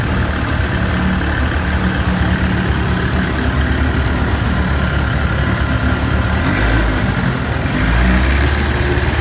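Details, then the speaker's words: 1990s 30 hp Evinrude outboard warmed up at idle after fixing lean sneeze and fuel leaks: smooth, steady low idle with even firing, no sneezing or stumbles; runs as it should. "perfect that's the way it should run warmed up"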